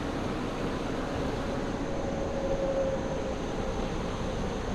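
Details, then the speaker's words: Nissan Xterra at idle after installing Walker Quiet-Flow mufflers and a new pipe to both catalytic converters in place of broken pipes: steady, even low rumble with no rattling, blowing or popping underneath; exhaust sealed and quiet. "And I don't hear any loud noise coming from underneath. And it sounds pretty good. I like that sound. Nice and quiet."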